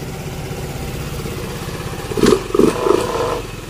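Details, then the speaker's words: Yamaha Mio M3 scooter, dead for a year, after injector and fuel filter replacement: engine ticks over evenly with a steady putter and a few throttle blips, idle holding at about 1617 rpm on the diagnostic tool. "Ayan na siya mga idol. Naandar na siya."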